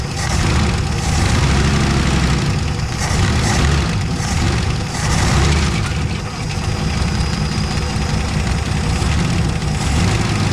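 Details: 1970 Dodge Challenger slant six ("leaning tower of power") idling after its first start, with new plugs, old wires and a temporary fuel pump. A steady, deep, even rumble with no knocks or misses; the engine sounds pretty good at idle.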